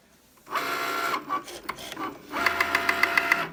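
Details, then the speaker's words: New Cricut Maker while cutting a card: motor whir with quick, fairly even knocking, about three or four a second, as the carriage moves back and forth. Loud knocking during operation, cause unclear. "My machine is making a loud knocking noise. You'll hear it in just a moment when this device moves back and forth."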